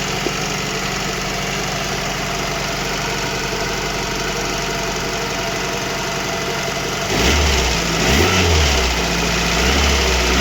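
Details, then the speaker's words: VAZ 2115 with a 1.5 injector engine, cold and then fully warm: a steady light tick, about three a second, persisting as revs rise. Valve clearances were checked OK and pulling plug caps didn't change it; piston slap or camshaft was suspected, later traced to ignition coil, lead or plugs. "Десь чуєте такий як цок-цок цок-цок. Незрозуміло."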